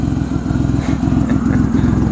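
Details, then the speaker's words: 2005 Ford Five Hundred with electronic throttle, sitting little-used since 2015: uneven idle with fast puffing tick from the exhaust and occasional stumble, missing more at idle than under throttle; exhaust leak plus misfire, suspected fuel injector or coil pack. "You can hear it's got an exhaust leak too. So yeah, exhaust leak and misfire."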